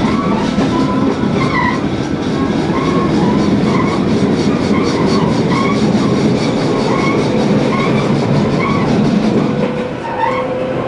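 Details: Tobu 20000 series car MoHa 24803, AFE main-circuit chopper control, in-car recording on a canted curve, Kasukabe to Kita-Kasukabe: rhythmic thump three to four times a second under rail clatter, coming and going with load shift; wheel flat.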